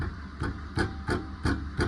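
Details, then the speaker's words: Front brake caliper: loose metallic knocks, about three a second, from worn caliper guide pins; the noise stops when the caliper is held and worsens over small road bumps; fix is replacing the pins on both wheels. "இது ஒரு calliper பின்னோட noise தான்."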